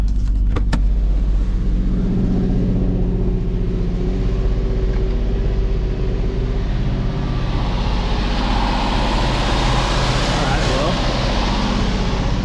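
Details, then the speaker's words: Car fitted with a throttle body taken from a known-running car; afterwards it reaches full RPM. The engine revs cleanly and steadily with a smooth, even exhaust note and no stumbling, so the old throttle body was the problem. "Dang, that's all that it was. Throttle body. Can you hear? Yep, I have full RPM."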